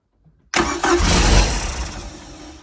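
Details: 1995 Larson 174 boat, 3.0 MerCruiser Alpha One Gen 2, after sitting three years, with a new starter and throttle pumped to prime fuel. A burst of cranking and a brief roar fades within two seconds without catching: crank, no start.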